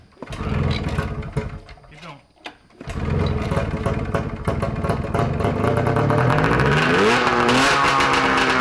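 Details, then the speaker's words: 670cc Bombardier two-stroke snowmobile engine from an early 1990s Arctic Cat, on expansion pipe with no muffler; loud crisp rasp catching cleanly and climbing smoothly with throttle, even firing with no misses, healthy; throttle slow to return. "whoa that's louder than straight pipe 750 Oh easy my ears haha they're bleeding um it sounds so healthy sounds good"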